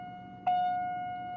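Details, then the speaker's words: 1992 Chevrolet Corvette tone generator (door chime), bench-tested on a 9-volt battery: single clean steady electronic chime at fixed pitch rings once and slowly decays; working normally. "the fast, and combining them, it's even faster. And again, that's with a 9-volt battery."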